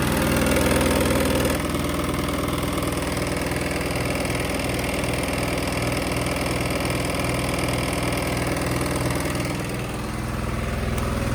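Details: Sykes GP80 diesel water pump with Lister TR1 engine, auction buy, idling after first start: steady, even single-cylinder chuffing about three beats a second, no misses or knocks; loud, rattling the floor; battery 12.6V before, 14V running so charging works; normal idle.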